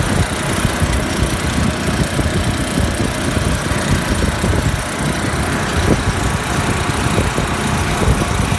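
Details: Refrigeration compressor after condenser coil leak repair, head pressure below 170 psi, running with uneven rattly shudder and scattered thumps over its hum; excessive vibration, net oil pressure about 20 psi, headmaster bypass suspected, cause not confirmed.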